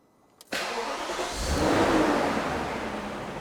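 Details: Alpina B10 V8S E39 Touring, off the road since 2016, after service with new belts, tensioners, fan and fresh coolant: quick crank catches instantly, revs briefly and settles into an even, smooth idle with no knocks or misses; healthy V8.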